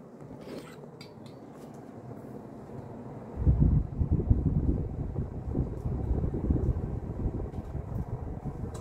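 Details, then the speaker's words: Vintage circa-1980 Emerson Heat-Fan HF-136 36-inch industrial ceiling fan, K-63 stack motor, three fiberglass blades, bearings slight kickback but decent, off to high: quiet, then smooth low whooshing rumble builds and holds at speed; normal spin-up. "So now let's turn it on to do 0 to high. Turn it on high. Thing got right up to speed."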